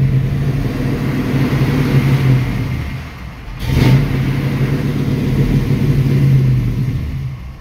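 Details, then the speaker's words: 1966 Mustang, 650 double-pumper Holley carburetor, in neutral: engine holds revs on throttle, then dies the moment gas is released unless pumped; idle screw adjustment didn't help; fixed by adjusting the idle transfer slot. "see so the moment that I let off the gas it it died on me so every single time I had to basically like mash on the gas uh several times you know pump the gas"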